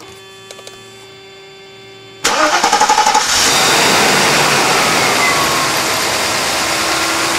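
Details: 1991 Mercedes-Benz 420 SEL V8 after a hot-weather no-start breakdown traced to ignition; after ignition repair with sequential firing order and distributor cap refitted, engine cranks about a second, catches and settles into a steady, even idle, running much better.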